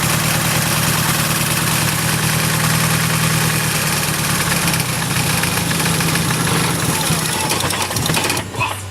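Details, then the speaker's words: Nissan S15 with SR engine: starts and seems to idle, then the lumpy idle sags and cuts out and the engine stalls; cause unknown, earlier suggested fixes did not work. "it dies you guys can tell me what that's about I could get it fixed I could get it on the road"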